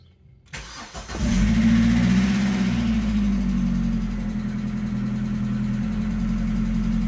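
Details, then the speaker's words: Opel Astra Cabrio with hydraulic lifter clatter since switching to thicker oil, worse cold, after half a bottle of additive was added: it cranks and catches, then idles with a quick, even ticking about four times a second; the additive seems to help. "hier ist meine hydrosklappern ich habe da jetzt mal die halbe Flasche reingekippt das scheint wirklich zu helfen"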